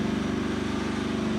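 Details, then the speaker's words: Homemade firewood processor, hydraulic test: small engine labouring with a low, heavy pulsing drone as the log in-feed runs backwards with the valve fully pushed, moving slowly; engine bogs down under hydraulic load, owner suspects the solenoid. "When I try to go backwards, that's all the faster it goes, and that's at full. You can hear the engine bogging down. That's with the valve fully pushed"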